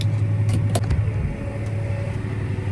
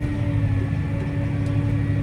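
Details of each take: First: Grain cart auger pulled by a John Deere 8235R, running while being filled. A steady tractor drone with a rapid, uneven knock about four times a second; the knock is suspected to come from up on the auger, source not yet pinned down. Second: Grain cart auger pulled by a John Deere 8235R, unloading after a terrible clunking noise was fixed at the auger end: steady low drone with a constant mid tone, no knocks or clunks, running smoothly.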